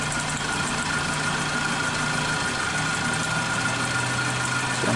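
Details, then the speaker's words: Suzuki Katana with carburettor and ignition timing adjusted after cylinder 3's black, crusted spark plug failed: steady, even idle with level hum, no misfire stumble; pulling each plug lead changes rpm on all four cylinders, so all are firing normally. "keempat oke Ada perubahan berarti normal juga dan normal semua"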